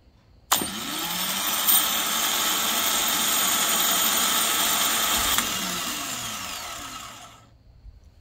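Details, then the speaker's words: 2004 Nissan Quest 3.5 V6 starter motor bench tested, removed for intermittent no crank no start: sharp spin-up to high whir with rattle at speed, shakes, long wind-down; worn internals suspected, not confirmed. "at little rattle right after it catches the the a good amount of speed you can hear like a little rattle coming out of there"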